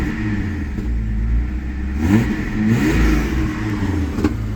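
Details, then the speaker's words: 1984 Toyota Celica Supra, 98k miles, cold just after start, oil pressure and charging reading good. Engine picks up cleanly on two quick throttle blips and settles back without clatter or hesitation; healthy. "let's give it some throttle see it's nice and cold oil pressure is good temp's well charging is good temp is"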